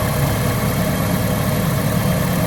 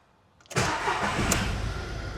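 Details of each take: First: Cheap auction-bought Ford Ka with a known blown exhaust, first start-up at idle: raspy exhaust puffing with a faint whine on top; exhaust leak with belt whine. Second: Cheap auction Ford KA that had a management light and no power, started with no faults showing: brief crank, catches at once and settles into a smooth, even idle with no rattle; engine starts healthy and takes a rev.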